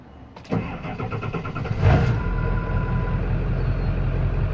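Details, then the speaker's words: Diesel engine before installing CNC Fab high-pressure oil crossover lines connecting both heads: starter cranks briefly, engine catches and settles into a steady, even idle with no knocks; normal cold start. "normal startup"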